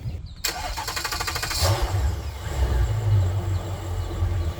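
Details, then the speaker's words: Mercury outboard on a 330 Boston Whaler, restarted after clearing codes: starter whirs briefly, engine catches cleanly and settles into a smooth, even low idle with no misses; sounds normal. "that sounds better that one sounds normal"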